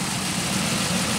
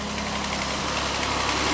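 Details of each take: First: 2001 Pontiac Aztek GT, about 170,480 miles, sat a year: steady even idle hum with no ticks or knocks; normal idle mechanically, though engine shakes and a hiss was being traced. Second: 2001 Pontiac Aztek GT, 170,480 miles, after sitting a year: steady idle with fast fairly even ticking about three or four per second; owner suspects an exhaust leak, probably at the exhaust manifold.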